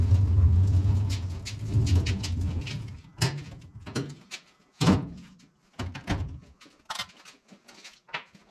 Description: 2013 Chevrolet Cruze 1.4 Turbo engine rattle caused by loss of oil pressure in valve lifters oil galleries due to loose timing chain upper guide.